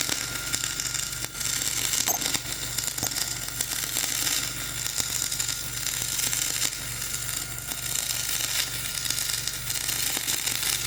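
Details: Dual-shield flux-core welding on a preheated outrigger pad, voltage up half a volt, Trailblazer one notch up on rpm: a harsh crackling hiss with uneven pops instead of smooth frying; a rough arc laying a poor bead over a ropey stick weld.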